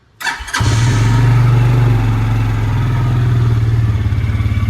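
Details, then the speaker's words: Bison SSR 400u 4WD UTV after starter solenoid replacement (previously kept cranking); in park, foot on brake, brief crank then catches at once and settles to steady even idle, shuts off with key: normal start, solenoid was the fault. "there we go and then when we shut the key off it should shut off let's start it back up it was the solenoid folks"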